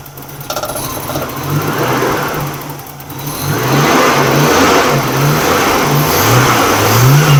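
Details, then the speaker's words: Nissan R31 RB30 six-cylinder after misfire repair: brief crank, then steady, even idle with a light blip, now smoother without the earlier shake and rattle. "it's braing a lot smoother idling better uh it's not got that shake and that Rattle and and the carrying that it had before"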